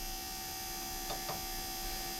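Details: Air-cooled Porsche 911 Bosch CIS K-Jetronic fuel pump running, engine off, during system pressure test (4.7 bar): faint, even electric hum, no surging or grinding; fuel pump running normally.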